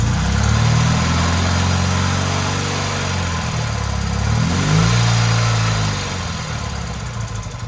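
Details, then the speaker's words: Motorcycle twin after sitting 20+ years, carburetors just synchronized, smoking slightly: steady even low burble with a couple of smooth throttle blips; idle holds level, running well. "Perfect. So it's smoking a little bit, but idle right in the center."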